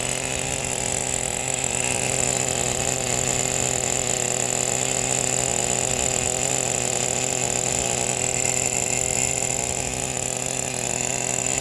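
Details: Brand-new Traxxas Pro 15 nitro engine with new bearings and an OS LC3 glow plug, in an RC10GT about 10 minutes into first-start break-in, idle set high: high, buzzy, smooth, steady idle without stumbling or hunting. Healthy idle.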